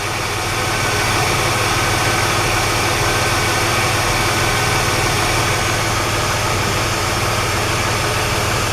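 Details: Engine after a Gumout lifter cleaning that followed a ticking from the driver's side, oil pressure a bit over 60: steady, even idle with no top-end tapping; normal idle after the fix.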